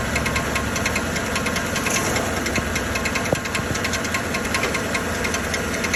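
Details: 2013 Chevrolet Silverado 1500 5.3L at idle: sharp metallic ticking, a couple per second, first suspected as flywheel or internal engine; actually the starter drive gear not retracting, staying against the flywheel.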